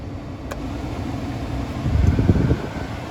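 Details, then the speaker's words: Fiat Punto with engine running, new heater blower motor just fitted after no heater: soft, steady whoosh on low speed under the idle, no rattle or squeal; blower running normally after repair. "okay car started blower motor is fitted and connected up down there see what happens yeah I can hear on speed"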